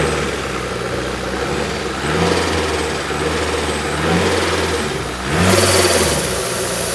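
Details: Freshly built 500 bhp supercharged Honda Civic FN2 on an RB30 block, after tightening a loose battery earth, not yet up to temperature: quick clean throttle blips off an even idle, described as never sounding so crisp; normal revving.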